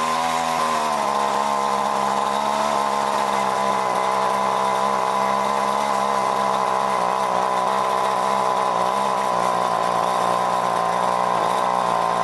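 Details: John Deere BC1600 two-stroke trimmer (Zama H46 carb), sat unused two-plus years, cold-start test run: steady buzzy note hangs at middling pitch, never reaching full revs; owner suspects carb goop, may need carb job.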